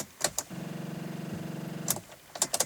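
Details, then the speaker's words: Volvo S40 with a dead, partly charged battery, key turned to start: rapid clicking chatter instead of cranking. Enough power to light the dash but not to engage the starter motor; not an immobilizer fault. "there you go it just basically means that well there is enough power to actually light the dashboard but there's not enough power to actually start um click into the starter motor so uh that's what the it will sound like if you do have a dead battery"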